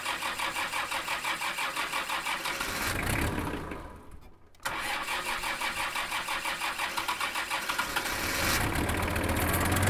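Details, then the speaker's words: Kubota M5700 tractor, 5-cylinder engine of almost 60 hp, just after fuel lift pump replacement: engine chugs unevenly, fades and dies, then cranks and catches again. It still stalls; the new lift pump didn't fix it, so fuel supply to the pump is suspected. "d nope still has the same problem going back to this diagram of the fuel system since replacing the lift pump didn't solve the problem"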